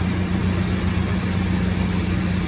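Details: 1996 Toyota Tacoma after head gasket job, fixed no-start caused by misplaced diagnostic port on intake manifold; steady, even low idle with smooth drone and no misses, knocks or hunting, running normally.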